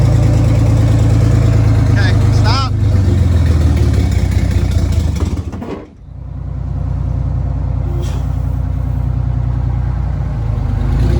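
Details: Detroit Diesel 6-71 two-stroke in a vintage GM bus, started with the old restrictive exhaust removed and no exhaust fitted: loud deep blaring rumble, fast hard bark, dip as it catches, open exhaust.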